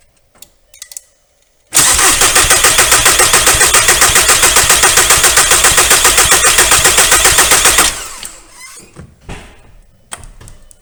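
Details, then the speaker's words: 2001 VW Golf TDI with the ALH diesel engine, after replacing the injection pump head plug seal. Air got into the system and the pump lost its prime. Even starter cranking, about four beats a second for six seconds, never catches while the injector lines are cracked to bleed the air. "all right so now what we need to do is crack these injector lines and bleed the air out of the system while we turn it over as soon as we see fuel coming out we'll close these lines it should fire up"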